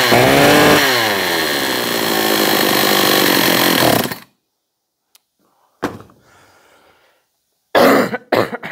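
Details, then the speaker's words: John Deere CS56 chainsaw (Oleomac 956/FCO 156 type), choke engaged, primed; 135 psi compression. Strong, steady buzzing rev for about four seconds, then cuts out, leaving handling noises; healthy while running. "Let's see what we got. she wants to. She wants to run."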